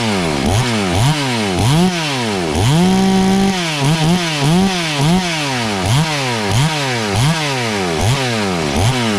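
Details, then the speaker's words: FarmMac F380W 72cc two-stroke chainsaw, 28-inch bar, after carburetor tuned under an eighth turn clockwise: crisp quick revs climbing and dropping cleanly, strong steady full-throttle scream; runs well, owner cautious not to run too lean and hot. "wo now she's screaming all it took was about not even an eighth of a turn uh clockwise and boy she opened right up"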